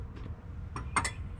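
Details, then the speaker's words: 2010 Ford Escape after a front brake pad change: pumping the brake pedal gives a few sharp metallic clicks over a low hum; the calipers are refilling with fluid and building pressure, which is normal. "and you hear that clicking that right there that is the caliper getting fluid back in it and making sure that you can build pressure"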